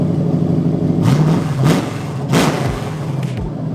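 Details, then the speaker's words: BMW E30 with a V8 swapped in from a Lexus LS400, first start on the key: deep V8 rumble with quick throttle blips that rise and fall cleanly, running evenly. "sounds like a different engine oh my God that that flame holy [ __ ] okay that's enough damn baby engine is running and it starts on the [ __ ] key"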